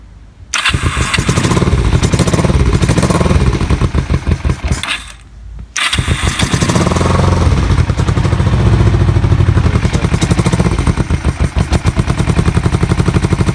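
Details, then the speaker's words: Kawasaki EN450 bobber twin, not started for a while, a little choke, running off a spare secondary tank, carbs not yet removed: catches, stumbles, restarts, then lumpy uneven beat with hunting revs; one side fuel-soaked, other dry; owner suspects carb float height. "i don't know if it's running through fuel and that is soaked on one side dry on the other i think i've got a float height issue on this carb"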